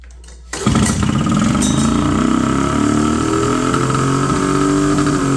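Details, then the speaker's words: 1970 Polaris Mustang snowmobile two-stroke, not started in 10 years, idle screws on both carbs turned down a quarter turn: fires up into a fast, raspy, steady idle still well above normal; high idle, throttle cable adjustment next. "okay my idle screw didn't seem to help at all so I'm going to adjust these"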